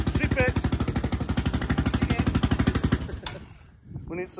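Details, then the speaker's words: Yamaha Raptor 660R single-cylinder ATV after top-end work, fed fuel by funnel. Fast, sharp puffing pops on every firing stroke; exhaust leak because the small copper exhaust gaskets are missing. "little exhaust gaskets bro that's what you're hearing"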